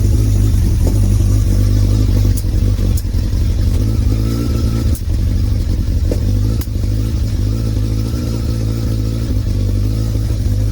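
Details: Motorcycle starting after wiring work, still cold: a low, lumpy struggling idle with pops as the other cylinder tries to come in, gradually evening out as it warms; rough idle.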